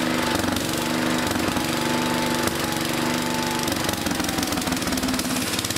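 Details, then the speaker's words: 1974 Power King tractor on a temporary fuel pump conversion fed from an auxiliary tank, with the charging meter working. The small engine chugs unevenly with a faltering, hammering beat; the rough running is likely from the auxiliary tank running empty. "all right well at least it runs and it looks like uh yeah meters working too it looks like it's charging we started up again [Music] there's enough gas in this auxiliary tank oh no it's empty all right well that may have a lot to do with the way it's running"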